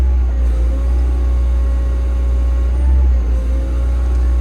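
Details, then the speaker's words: Machine that cut out and logged a low rail pressure code once. Revved with the hydraulics stalled, boom up, and fuel pressure looks good. Deep, steady diesel drone holds firm under load. Possibly muck in the tank over the suction pipe; runs normally. "We'll rev it up and stall the hydraulics out now. That boom up. Coping with that okay."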